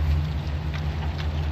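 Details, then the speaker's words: U-Haul rental motorhome driving on the road: heavy steady low drone and buzz through the whole cabin from driveline vibration; midshaft suspected, possibly carrier bearing, not confirmed. "So this motorhome has this problem with the midshaft. You can hear the whole thing vibrating, the ground's buzzing, even Cisco's buzzing."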